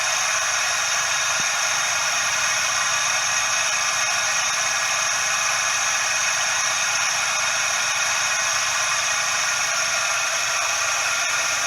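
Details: Suzuki Every DA64V engine heard close in at the belt drive: steady, dry hissing rush with no rhythm; belt tensioner bearing noise, possibly from grease loss.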